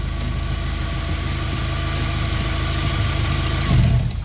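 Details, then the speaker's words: Turbo Honda, not yet at operating temperature, idling smoothly until a wire is touched: the even idle briefly falters with a short uneven patch; owner suspects a short in the MAP sensor wiring, not confirmed. "So you can tell the car is running fine, no misses or anything, and when I touch this wire,"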